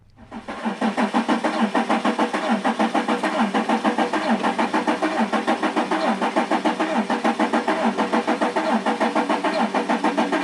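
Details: Mercedes CLS 320 CDI 3.0 V6 diesel: catches and settles into a lumpy idle, about three uneven beats a second with dips; misfire traced by clamp test to low compression on cylinder number five.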